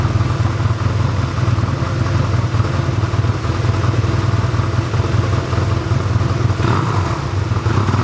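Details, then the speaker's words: 1985 Honda Rebel, about 2,000 miles, first start after roughly 17 years in storage, run on reserve fuel and warming up: even, steady low thump at idle with no misses, rattles or hunting; normal idle. "Okay, we'll let her run for a while to warm up and then we'll see what we can do about the adjustment of the curve."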